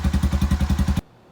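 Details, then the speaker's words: Honda Foreman 350 4x4 ATV after a rusty muffler repair with a quiet core welded in. Deep, loud single-cylinder thumping, about nine beats a second; the big muffler chamber flexes and resonates, sounding tinny. "okay so we have a quiet core welded in now and i'm going to add one cross brace this is a piece of uh bar stock it goes from one side of the other to keep this big chamber from flexing because there was some resonance in here and it sounded a little bit tinny"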